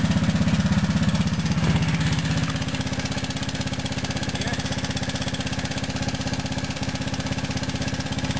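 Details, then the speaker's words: ATC three-wheeler single-cylinder, choke on at start: steady light ticking at idle in time with the engine, present for about four years; loose cam chain tension, stopped after tightening the tensioner. "But it's just that darn ticking noise. I don't know what it is, and I'm afraid of it."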